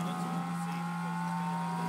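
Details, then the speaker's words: Jet Central kerosene-start model turbine, fuel valve on, prime pump test via menu: steady electric whine with low hum and higher tone, no surging, as the pump primes the fuel system and purges air bubbles normally. "so now we can hear the pump starting to run we see our fuel moving so we're priming the fuel system"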